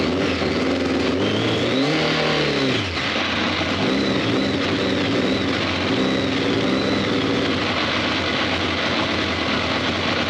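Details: BMW K1200 R, faults cleared, fuel pressure low at 2.3 bar: uneven, lumpy revving, stumbling as it picks up though all exhaust pipes hot; rough running misfire, fixed by pressing reset on diagnostic machine.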